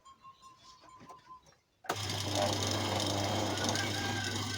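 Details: Secondhand electric fan switches on with a loud, rough groan and heavy low hum. The blades still spin freely, and a loose motor shaft in a worn sleeve bushing causes the groaning vibration.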